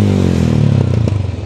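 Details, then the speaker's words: 125 Alpha motorcycle with gutted muffler: revs fall away with sharp pops and crackles from the pipe on deceleration, backfiring through the exhaust; the remedy shown is adjusting the carburetor's idle mixture screw under the carb. "so Ayan po nakakalkal after makalkal ng tambutso Bakit nagba-back Pakita ko sa inyo"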